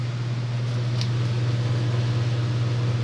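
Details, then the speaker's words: Vintage Lennox belt-driven blower with a new belt, heard from about 10 feet: smooth, steady low hum with constant airflow rush and no squeal, slap or knock; remaining noise is the unisolated motor; normal running. "it's that noise is just the motor there's no isolation between the motor and t"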